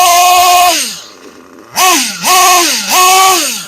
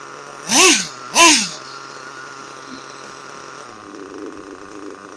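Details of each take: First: Kyosho US1 nitro engine during break-in runs. Three sharp revs climb to a high buzz and fall back to a burbling idle without stalling, with visible smoke; it is still running slightly rich, so more high-speed break-in is planned. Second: Kyosho US1 nitro engine during break-in. Two sharp throttle blips rise and fall, then it settles into a steady, even idle without stalling.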